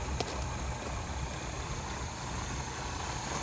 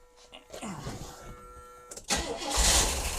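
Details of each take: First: 1977 Pontiac Grand Prix, abandoned non-runner revived: quiet, soft, even idle at slightly raised speed before checking transmission fluid; engine sounds healthy, called a runner. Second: 1977 Pontiac Grand Prix, abandoned non-runner being revived: slow uneven cranking, then a short loud burst firing on fuel poured in, but it dies because the float bowls are empty; owner says he should have filled them first.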